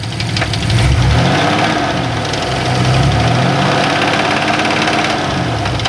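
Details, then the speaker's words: 1994 Chevrolet Astro LT-EXT van, 30 years old, owned since new: deep, loose, irregular knock about three to four per second at steady idle, persisting with belts off and plugs pulled one at a time; fluctuating oil pressure; owner suspects rod knock or tappets, unconfirmed. "could be a rod knock. Now, could be tappets, could be anything."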